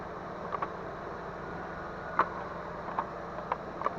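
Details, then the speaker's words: 1998 Dodge Intrepid, engine running: steady full-speed cooling fan rush with a few light clicks. The fans run constantly from start-up and the temperature gauge never moves. A new relay made no difference, so a faulty temperature switch or its connector is suspected. "yeah I got a spare a relay for now fans are running full speed now with the with the relays in there so we know it's not really"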